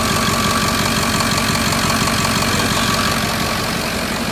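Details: Diesel truck at idle during a power balance check, number three injector suspected bad: a sharp, fairly regular knock near three per second on top of the idle; source not confirmed.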